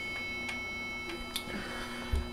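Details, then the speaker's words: Sony Vaio RB50 running Windows XP, freezing after virus and system recovery: faint sharp ticks at uneven intervals, a few per second, over quiet computer hum; owner suspects hard drive, unconfirmed. "i recently had a virus on there i did a system recovery and now every time i go on it or on the internet it freezes after a little while and it makes this noise coming from the"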